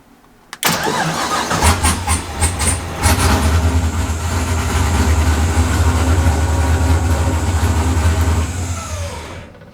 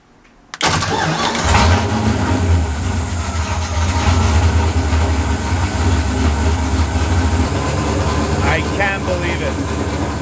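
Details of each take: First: Drift car with GM LSX 24x crank sensor, map reloaded with cam sensor enabled: brief crank, catches and settles into a steady rumbling idle with no mechanical noise, but the ECU again shows a cam sensor error; cam sensor suspected. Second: Drift car engine after reinstalling intake and replacing defective new GM cam sensor: catches instantly and settles into steady, even idle with smooth low rumble, no misses or knocks; running good.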